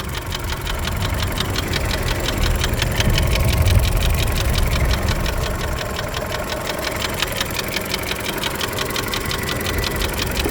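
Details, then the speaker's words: Volkswagen Golf 6 1.4 petrol (CGGA engine) in snowy weather: runs evenly but with a sharp regular knock about three per second, appearing near 2000 rpm then disappearing, not heard on sharp throttle; cause unknown. "Как думаешь, что это может у меня стучать? Работает ровно."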